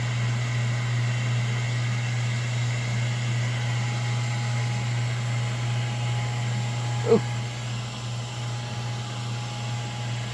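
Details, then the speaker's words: Ford generator (diesel per sound) on a 1981 70' Hatteras yacht running: a steady, even low drone with no knocks, misses or surging. Exhaust is checked for water discharge; it runs smoothly. "that one sounds good can you go outside and see if you see water coming out with the exhaust"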